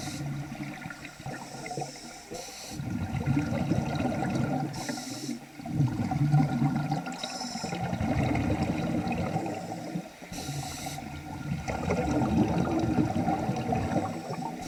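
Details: Nemrod Snark III vintage double-hose scuba regulator during a pool dive: rhythmic inhale/exhale cycles every few seconds with odd hissing and gurgling bursts on each breath; strange, never-before-heard noise of unknown cause, yet the regulator kept working well.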